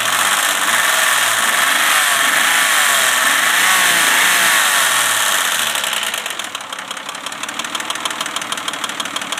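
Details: 1995 Pajero with a rebuilt 3.5L DOHC V6 petrol engine, idling with a steady light clicking of about three ticks a second over a loud rushing hiss; the cause is unknown.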